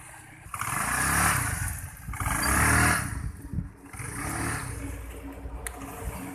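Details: Honda Vario 110 that stumbled on first pull-off (low-rev), now fixed after carburettor, valve, ignition and air-screw adjustment: three clean throttle blips rising and falling smoothly with no low-rev stumble or hesitation; pulls cleanly.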